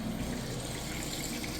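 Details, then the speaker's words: Whirlpool HE top-load washer, moving from wash to rinse cycle; steady rush of water with a low pump hum, draining quickly and evenly; drain pump working normally. "You hear it running that drain nice and fast. Now what it's going to do is spin to extract the soapy water"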